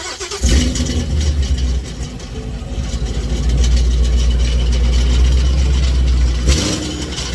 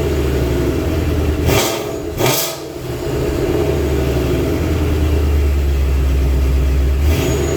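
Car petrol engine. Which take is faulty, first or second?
first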